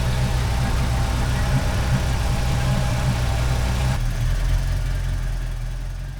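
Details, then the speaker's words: MerCruiser Bravo 3 boat engine at smooth, steady idle, briefly shifting, no knock or miss, after new power steering cylinder (actuator) installed; pump running to circulate oil before turning the wheel and checking fluid; normal idle. "All that's left now is to start the system, so the power steering pump begins circulating the oil. Let's fire it up. The pump is running."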